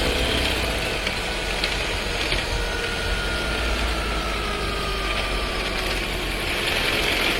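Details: New Skoda Scala 1.5 TSI with dry-clutch DSG, about 3,500 km: steady engine run with a dense, uneven rattle, faint shifting tone and cabin-felt vibration — transmission rattle with vibration, owner awaiting service response.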